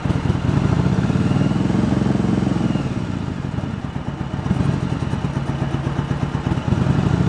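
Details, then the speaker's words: 1986 Yamaha Virago 1100, sat about six years with fuel in it: lumpy idle around 220 pulses a minute with missing strokes. The front cylinder drops out at idle and returns when its carburetor is feathered or revved; a carburetor issue is suspected. "So you can kind of see that you feather the one carburetor and an idle, and that cylinder, front cylinder, will come back. And you rev it up, it's there, and just not there on an idle."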